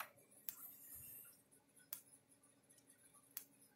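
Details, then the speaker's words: Gallagher Solar S50/S20 fence charger on 12.7 V, after board repair, in room light: crisp single clicks evenly about every 1.2–1.5 seconds; pulsing normally. "Yeah, it's flashing, clicking about every second and a half, second point, 1.2, whatever it is."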